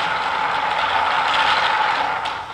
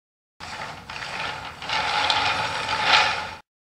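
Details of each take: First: Homemade wooden flat thrust bearing with 5/8" steel ball bearings in a hardboard cage running in a 5/8 core-box trough; cage turns at about half race speed: even, steady rolling hiss, no clicks or grinding; normal smooth rotation. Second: Uneven, gritty rattling rumble surging and fading from a homemade wooden flat thrust bearing running on 9/16" yellow glass marbles in a 5/8" core-box groove; the marbles aren't round, so it runs rough.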